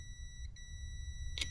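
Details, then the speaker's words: Relay bench test: with the coil energized and the relay clicked, a multimeter checks continuity between pins 30 and 87; a steady high-pitched tone holds with no dropouts, so the contacts close cleanly and the relay is good. "Hear that click? That's what you want to hear. So the relay is going to be in the open position. There it is. It's clicked. It's in the open position."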